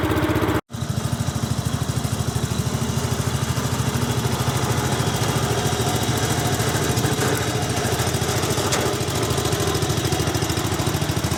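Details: Restored 1972 Brott 320 flail mower started with choke and a little throttle: small single-cylinder engine catches after a brief gap and settles into an even, steady beat at fast idle; normal running.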